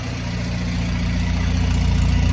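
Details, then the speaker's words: Willys CJ5 Jeep F-head with new Daytona 4134 carburetor, new plugs, wires, distributor, after years sitting: steady, even low idle, no knocks or misses; normal idle, head gasket leak suspected afterward. "plugs, wires, distributors refilled, and sounds like it's running pretty well."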